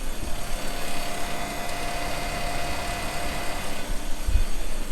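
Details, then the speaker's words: Maple sap vacuum pump running after a day chasing leaks in the tubing: steady low hum at an even, slower speed with no surging or hissing; pump rpm dropped as leaks were fixed, gauges reading 23–25 inches and holding. "i'm in a lot better shape here and i can tell that because my rpms are down on the pump now"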